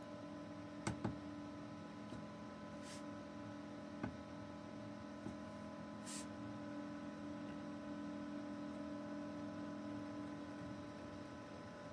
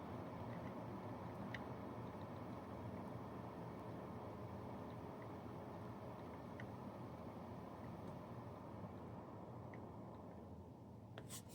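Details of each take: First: Brinkley RV under-bed small fan (a PC-style "screamer") screwed directly to the wood frame: a steady, layered droning hum whose harmonics change when the wood is touched, as vibration carries through the mounting. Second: Brinkley RV under-bed fan box after a fix for loud bedroom noise, dialed way down: very soft, even airflow hiss with a faint low hum and no clicking; normal quiet fan at low speed.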